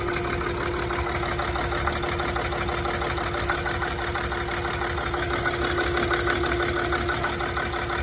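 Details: TDV6 diesel at idle: steady hum with an uneven, lumpy beat about three per second; rough idle, cause unknown.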